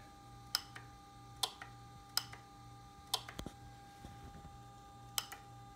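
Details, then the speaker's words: Added relay on a Ducati 1299 Panigale Anniversario keeping the low beam on with the high beam: sharp single clicks at uneven intervals each time the beam is switched; relay switching normally. "can see it's leaving on the low beam there and that's just another relay you can hear it clicking"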